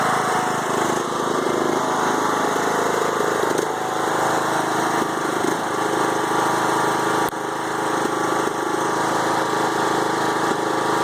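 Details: 5-year-old Craftsman mower with Briggs & Stratton Intek 20HP twin, head gasket replaced after hydrolock; idle wanders and stumbles every few seconds, bogs while mowing; no longer smokes; rough idle, unclear cause.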